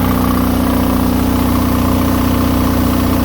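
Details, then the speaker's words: Onan DJB MS diesel generator near rated max of about 6,000 watts, running on new fuel after year-old fuel: steady, even drone with firm low pulse, no surging or bogging; carrying full load healthily with very little smoke. "I didn't hear the motor bogging, nothing. So I guess it's working pretty good."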